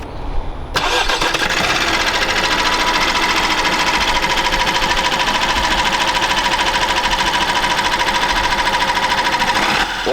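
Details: Opel B16DTH diesel (Astra, Insignia, Mokka, Zafira, Meriva 2015-2021) cranks and catches, then idles with dense, clattery metallic rattle on start from the timing chain; cause may be a failing tensioner or stretched chain, fixed by chain replacement.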